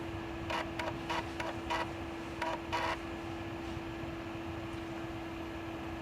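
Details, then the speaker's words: Data I/O 2900 chip programmer reading algorithm floppy disk 2: short bursts of head stepping and seeking over a steady hum, pausing between reads. Normal floppy drive access. "So I will put in disk 2 there and try that again. This is, yeah. Okay, it's accessing."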